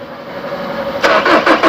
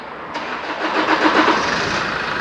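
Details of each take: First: 2013 Chevrolet Colorado Z71 2.5 diesel, 5-speed, after pump bleeding and SCV valve swap: starter whir then rhythmic cranking pulses about six per second that never catch; fuel reaches the injectors but they do not lift, injectors suspected. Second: 2013 Chevrolet Colorado Z71 2.5 diesel after injector replacement, injector coding, pump relearn and ECU reset, previously not starting: quick crank, catches at once and settles to a smooth, even idle; healthy start.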